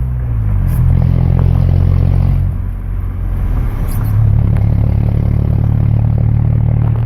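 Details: 1997 Ford Ranger, manual, 2.3L with muffler delete exiting under the passenger door: loud deep exhaust drone with uneven clattering and scraping as revs shift; the engine noise's source is unidentified.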